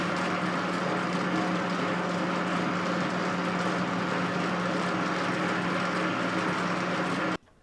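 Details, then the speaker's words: Old Rockwell lathe, quick-change gearbox on highest setting: steady loud mechanical clatter over low even hum at constant speed; clanking from the Reeves variable-speed drive. "most of the clanking you hear is coming from the Reeves Drive and I have the quick change gear box set on the highest setting which is not normal"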